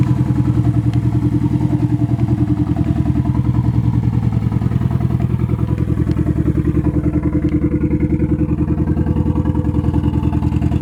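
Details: Nissan SR20 in a 240 on first start after engine install, open downpipe: lumpy, loping chug of about 3.5 beats per second repeating while running; engine misfire, cause unconfirmed, owner suspects bad original gas.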